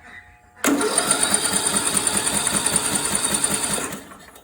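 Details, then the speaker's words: John Deere D105 with Briggs & Stratton Intek 17.5 HP, seized from oil starvation then freed by hand, spark plug removed, charged battery: starter turns it evenly about ten pulses a second, sucking through the intake, no binding; normal cranking without compression. "That's pretty good. All right. So, that gives me hope. And you can hear that it's sucking through the intake."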